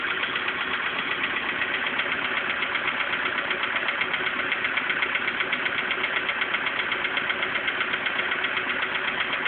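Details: VW Polo Sedan engine at idle before piston group replacement: a steady metallic tapping of about 158 per minute runs over the idle. It sounds like a knock from inside the engine; cause suspected, not confirmed.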